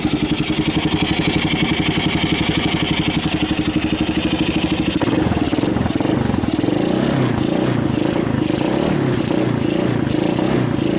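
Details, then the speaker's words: 1990 Kawasaki Bayou 220 single-cylinder junkyard ATV, carb replaced, recoil starter rebuilt, good compression, just cold-started on choke: steady even putter with no misses, charging the battery, a little smoke; normal running. "actually sounds good oh it's even charging the battery those are pretty bright yeah the headlights pretty bright even charging the battery I do have a little smoke here"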